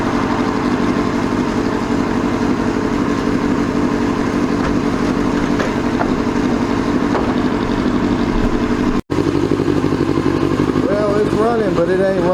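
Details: 2002 Yamaha YZF R6 carbureted four, after sitting 6 years, original fuel pump reconnected: ragged, stumbling idle with a missing pulse, one cylinder apparently not firing; owner believes a carburetor is gummed up again and needs cleaning.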